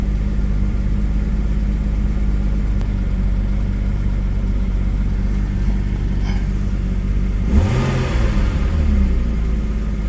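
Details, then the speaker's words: Porsche 993 just after oil change with 8 litres of oil: steady low idle, oil pressure good, then one clean rev rising and settling smoothly; normal idle and revving. "okay oil pressure is good at the minute she's idling"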